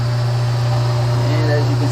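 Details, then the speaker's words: Newly installed, rewired switch-operated garbage disposal with water running: steady even low hum, water rushing, no rattle or grinding; running fine, no leaks or sparks. "okay so we're running the water on the new garbage"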